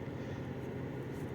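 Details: 2021 Chevrolet Tahoe at idle, returned after earlier spark plug repair with misfire code still present: heavy, low, lumpy rumble with shaky uneven beat and strong engine vibration; misfire, spark plug suspected, not confirmed.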